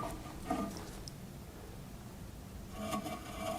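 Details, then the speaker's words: Raleigh Detour 2 wheel, already nearly true, spinning in truing stand with arms set very close: faint intermittent light scraping as the rim brushes one arm; side found by feeling which arm vibrates; rim rubbing. "I was holding on to both just lightly and I can feel the side that's vibrating that's touching. So, that tells me what's which side is actually hitting."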